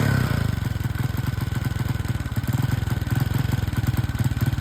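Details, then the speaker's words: Hard-starting motorcycle at raised idle: a fast putting idle that hunts and stumbles unevenly and seems fuel-hungry. Spark plug suspected. Not confirmed. "Ang hula ko kaagad dito ay ang problema dito ay spark plug. Bukod sa hindi ma-idle-idle pabago-bago yung huni ng andar."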